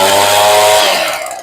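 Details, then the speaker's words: Echo PV2100 two-stroke blower after carburetor rebuild and high-side adjustment with limiters removed; crisp steady high buzz at speed then eases off smoothly, normal running. "Sounds pretty good for an old blower."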